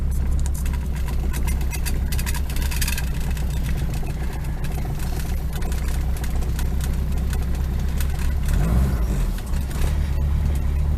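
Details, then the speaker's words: Rover P6 at idle with a rotten exhaust system: heavy, deep, uneven rumble with a chuffing blow underneath, upsetting the engine's balance and preventing proper carburetor tuning; exhaust leak. "she's running but you can your legs off rumbling and blowing like a good one which is putting all the balance of the engine"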